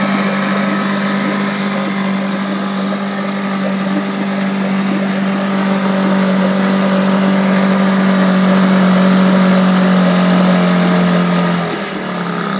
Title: Mercury 9.5 stalls